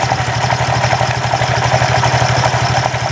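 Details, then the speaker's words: Honda Vario 125 scooter idling with a rapid, uneven metallic clatter from the CVT that worsens when revved. Worn roller housing or a worn rear pulley is suspected; the cause is unconfirmed. "Kualitas suaranya sangat buruk. Denting, denting, denting, denting."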